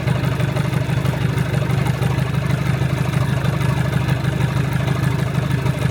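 Steady, even diesel idle with a regular low chug of about three beats a second and no knocks or misses; sounds healthy.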